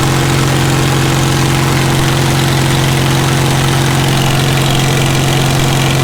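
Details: Caterpillar D2 #5J1113 diesel, engine not fully broken in, idling with a return-port injector test: steady low idle with an uneven knock near two per second and an intermittent pop; number 4 injector overflows with fuel, internal leakage.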